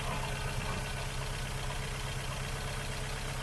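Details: Ford Fiesta Duratec petrol engine running on three cylinders with loss of power; lumpy idle with an uneven stumble roughly twice a second as one cylinder drops out: misfire traced to a failed ignition coil pack, replaced.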